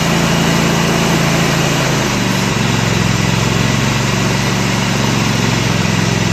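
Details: Kohler Command 25 hp CV730 V-twin on Husqvarna riding mower, after carburetor cleaning, coil replacement and mouse-damaged wiring repair: steady, even drone, no surging, missing or popping; running well.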